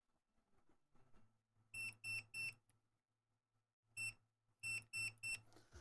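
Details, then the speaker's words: 3D printer running Klipper, with a CPAP fan being added: bursts of sharp high beeps (three, a pause, then four) at power-on, a warning the owner suspects is caused by something off center; not confirmed. "so the one thing that this thing is doing is it's beeping when I turn it on because something's off center"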